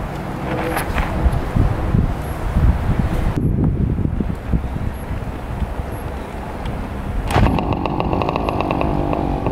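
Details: 1967 Yamaha YL1 two-stroke motorcycle, barn find revived after sitting over 40 years, normal running: crackly buzzing idle with quick throttle blips, picking up cleanly and settling back; fired right up and idles perfectly.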